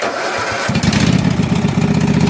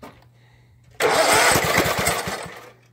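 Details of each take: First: Husqvarna mud mower, 18hp Kawasaki V-twin, started after about 5 minutes submerged in a pond with water in the gas and oil; float bowl drained, fresh gas with Sea Foam. Cranks briefly, catches at once and settles into an even V-twin patter: normal start and idle. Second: Flooded Husqvarna mud mower, 18hp Kawasaki V-twin, after about 5 minutes submerged in a pond: on carb cleaner and choke, two short bursts of uneven firing each die within seconds, pointing to fuel starvation from water in the fuel.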